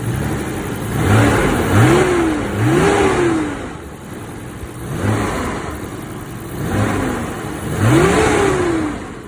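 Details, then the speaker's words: 1992 Nissan Skyline GTR BNR32 with boost restrictor and catback exhaust, just after an oil change: smooth blips rising and falling cleanly with even pitch and no knocks or rattles, sounding much smoother than before, with the fan audible. "But I know y'all didn't hear it before, but it already sounds much smoother."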